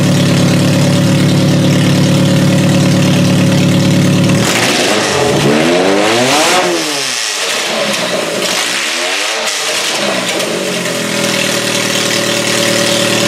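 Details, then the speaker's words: Toyota Solara after new coil packs were installed: the idle stumbles when revved, the note wavering and breaking up, the same miss it had before on startup; misfire suspected, cause unconfirmed. "Last time when we started, it kind of had that mist when it started up. Let's see if it still has that mist. It sounds like it has the mist."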